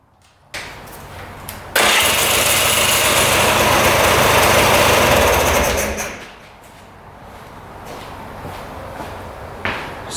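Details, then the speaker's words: 2002 Polaris Scrambler 400 4x4 ATV, plug cleaned; quick crank catches into rough single-cylinder run about four seconds then dies; plug comes out super wet; owner suspects water in the crankcase sprayed into the cylinder. "as soon as you clean off that plug it fires up for a little bit and then dies and the plug is super wet afterwards"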